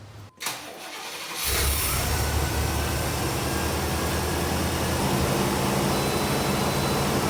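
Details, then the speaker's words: 1992 GMC C2500 tow truck with 4L80E transmission, started after transmission oil and filter service; catches after short crank and holds a fast, steady idle that stays high, owner thinks he found the cause: high idle on startup. "when this truck starts up it rubs real high and I'm going to get into that in my next video on this thing so just don't I know there's a problem with it but I think I figured it out"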